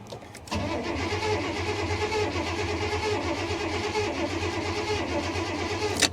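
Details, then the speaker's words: 1985 Honda Prelude at salvage auction, sitting since about 6/21 with rotten-smelling fuel, weak booster pack: starter churns steadily about five seconds, never catches; crank no start, fresh gas might get it started. "I think you might be able to get some fresh gas in her you might be able to get the thing to start I don't know she's been sitting a while"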